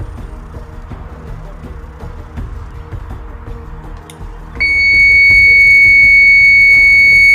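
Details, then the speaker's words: 12-volt motion-sensor alarm siren: a loud, piercing high tone switches on and holds steady and unbroken. Normal steady-tone siren operation. "okay that sounds pretty solid sound pretty solid"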